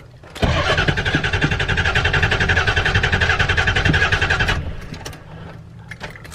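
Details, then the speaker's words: Diesel truck that died while driving with a relay clicking: about four seconds of fast, even cranking at roughly three to four turns a second that never catches; crank no start, owner suspects a relay or fuse, unconfirmed. "What the hell, dude? Why is it having so much trouble?"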